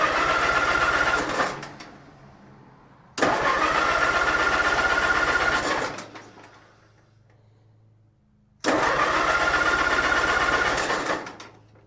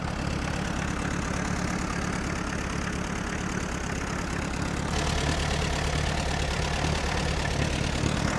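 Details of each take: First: Allis-Chalmers C tractor with Woods L59 belly mower, first start of the year, little gas, battery hooked up, no choke, parked nose up: three long fast cranking bursts that never catch; cranks but won't start, maybe needs choke. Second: Allis-Chalmers C tractor with Woods L59 belly mower, first start of the year after choke start, oil pressure steady around 10 psi: low, even putter at idle with no knock or miss; runs well, normal idle.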